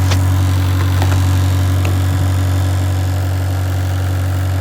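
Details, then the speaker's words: 2015 Citroen C4 Grand Picasso 2.0 BlueHDi 150hp diesel automatic, after replacing damaged radiator fan control module/resistor: steady low diesel idle with even fan hum, no knocks; radiator fan working again, AC blowing cold. "And you can also see the fan is working."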